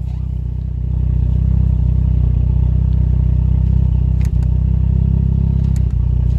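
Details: Toyota Caldina ST215 3S-GTE with Link Storm ECU, earth faults fixed, first start after two years parked: deep, steady rumble at about four pulses a second with smooth throb, settling and running evenly; normal running.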